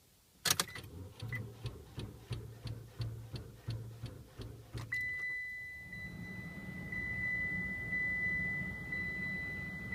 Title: Car won't start